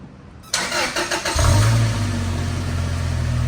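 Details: 1999 Toyota Tacoma SR5 4x4, 2.7L 3RZ inline-four, five-speed manual, 69k miles, cold start after sitting two days, heard at the exhaust: brief crank catches cleanly, flares, then settles to steady even idle with no ticks or misfires; normal.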